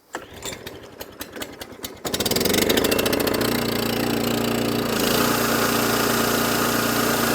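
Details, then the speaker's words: Cold Kawasaki-engined mower, pull-started after fuel turned on and choked: catches and runs a steady buzzy drone that never quite settles clean and won't rev higher. Rough running, not right yet. "so this one is what it needs just a little bit of love a little bit of help because it isn't it isn't quite right yet"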